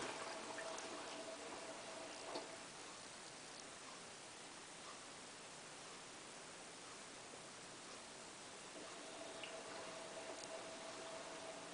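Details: Hotpoint Ultima WT960 washing machine, cottons 60 test wash, cycle start: soft steady hiss of water rushing in with a faint pump tone, no rattling or grinding; normal water fill.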